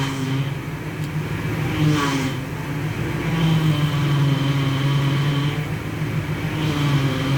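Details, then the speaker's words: NC Fairlane / EB Falcon idling while steering is turned to bleed freshly topped-up power steering fluid: steady groaning whine rising and falling with wheel movement; plenty of air still trapped in the pump. "Okay. You can hear that, there's still plenty of air in here."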